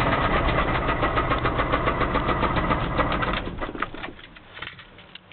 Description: 318 V8 with a bunch of miles on it, knocks very loud.